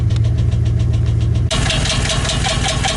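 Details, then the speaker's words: 2015 Chevy Express 4.8L van, heard under the hood near exhaust: sharp regular knock at idle, three to four hits a second, quickening with throttle; first thought rod knock but judged not, later found a bad lifter. "Definitely sounds like a hard hit from under here."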